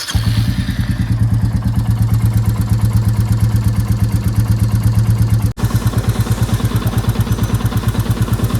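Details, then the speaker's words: Royal Enfield Classic 350 Reborn, 968 km, before its fourth service: single-cylinder idle thump with a sharp clatter on each beat, about three per second. Owner-reported tappet noise, recorded before servicing and oil change. "एक बार निकलने से पहले आपको engine की आवाज का भी comparison करा देंगे कि बिफोर और आफ्टर रिजल्ट्स क्या थे"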